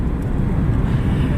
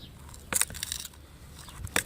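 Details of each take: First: Dodge Neon after repairing a hidden rear strut fault that had come apart on the inside: test drive with a steady low road rumble, cabin now smooth and quiet, no rear suspension rattle. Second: Rear strut of a Dodge Neon: the strut rod is loose and bounces up and down inside its separated top housing, giving sharp metallic clacks and rattles; the owner plans to weld it back in.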